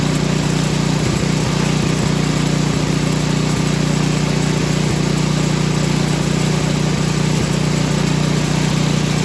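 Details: Craftsman snow blower 536.881651, Briggs and Stratton 12A113 engine, after carburetor stuck-needle-valve repair, started on choke: single cylinder runs at a steady, even beat of about three pulses a second, no stumbling; running normally.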